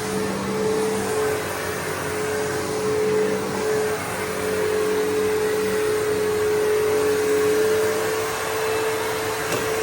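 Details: Bissell PowerForce 3522-1 vacuum after lubricating its previously squeaking motor: steady, even mid-pitch motor hum with no squeal or chatter; runs smoothly.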